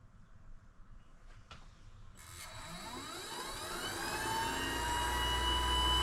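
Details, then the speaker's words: Vevor MX400 (WM210V) benchtop mini lathe after three years of use, running in reverse: spins up with climbing tones, then a steady high whine; owner thinks it's the motor and suspects it may be going out, pulley to be removed for inspection. "but I think it's the motor going in reverse. It has this kind of a whining noise. I don't know if that's indicative of the motor going out or something like that,"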